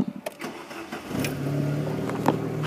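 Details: Chevy C1 TBI truck during no-start diagnosis, checking fuse 4 (fuel pump) and the computer fuse; a short crank catches within about a second and settles into a smooth, steady idle. Normal start and idle.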